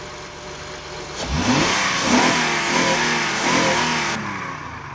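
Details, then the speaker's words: 2006 Honda Ridgeline after new throttle body sensor install; idles, then revs up cleanly several times, pitch rising and settling smoothly with no stumble, excellent throttle response. "Okay, so it's not quiet and idle, but sounds very miserable in terms of power, and it responds excellently."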